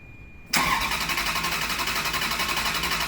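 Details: Salvage Ferrari 360 Spider after engine bay, exhaust, intake and wiring reassembly, on a battery charger after code reader tests: rapid regular starter churning for about 2.5 seconds without catching; cranks but won't start, cause unclear.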